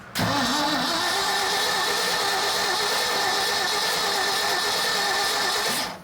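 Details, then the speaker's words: 1976 Ford F-600 not run in over 10 years, spark issue being chased, battery charged with jump box: starter spins briskly and evenly for about six seconds but never fires; cranks but no start, suspected no spark. "ah got no juice in it yeah let's pull a plug and see if we're getting fire"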